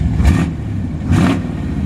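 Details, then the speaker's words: 1973 Chevrolet Camaro 350 V8, likely a mild cam: two quick throttle blips rise and fall cleanly over a deep, even burble; excellent throttle response, engine runs fantastic; normal revving. "It's got excellent throttle response. Engine runs fantastic. It's got a nice looking engine detail. You can just hear the engine runs great. Sounds like it's got a mild cam in it."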